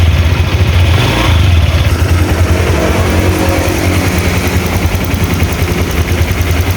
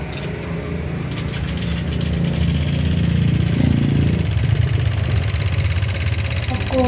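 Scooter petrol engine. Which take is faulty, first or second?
second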